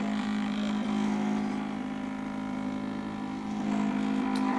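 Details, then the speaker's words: Three-phase permanent-magnet stepper motor salvaged from a drip pump, driven by Arduino and H-bridge, turning an unloaded rotator. Steady droning hum with pulsing ripple: resonance noise suspected to drop once loaded with an antenna. "think a lot of that that resonance and that noise would probably be reduced once it's got a bit of load"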